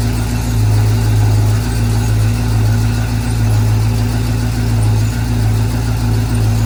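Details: 1968 Chevy K10 pickup, first start after 327 V8 engine swap, oil pressure coming up, low battery: loud deep burble at steady idle with even firing pulse, no knocks or misses; normal idle.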